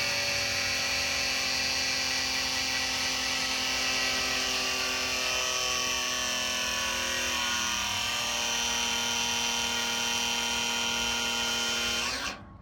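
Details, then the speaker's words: Electric-over-hydraulic trailer brake actuator held on during a bypass test: a steady high pump whine shifts tone as fluid pushes the piston and reaches the brakes, then cuts off. Normal pressure build. "So there you notice that different tone. That was the uh piston in there pushing the fluid all the way back and maxing out as it was actually activating the the brakes."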